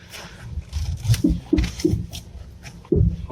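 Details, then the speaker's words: 2006 Kia Sportage, front left: loud, irregular clicks and dull knocks while turning the steering wheel, felt through the whole body; spring checked and not broken; worn front strut mount bearings, replaced. "такой [музыка] страшный звук щелчки он похожий на удары в районе здесь левой стойки где-то то"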